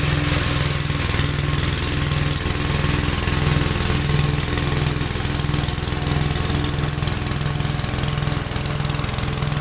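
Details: Gravely tractor running brush hog mulcher deck via PTO after clutch adjustment: steady engine beat, even low drone with blade whir, no wobble or knocking; owner unsure tractor has enough power, blade taking power. Normal running under load.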